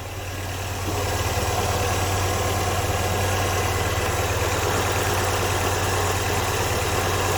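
Even, steady idle with a smooth low beat and no misses or hunting; engine runs clean and settled, timing where it should be.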